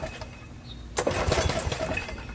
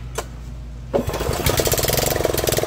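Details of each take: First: Snapper riding mower that won't start; after carb spray and choke, one pull gives a short rasp of cranking with no firing at all; fuel problem, flooded by a carburetor float needle that won't seat. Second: Snapper riding mower that wouldn't start, first start after carburetor filled: catches after short crank into loud, steady, even idle with no misses or knocks; running normally, some smoke likely moisture/oil burning off muffler.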